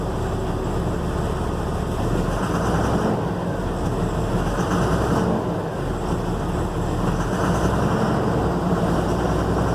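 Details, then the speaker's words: 2007 Ford F750, 5.9 Cummins diesel, six-speed manual, check engine light: uneven idle with an irregular stumble every few beats, scanner code for number four injector; engine miss from faulty injector, runs smoothly after injector replacement. "this one has a check engine light and has a rough idle"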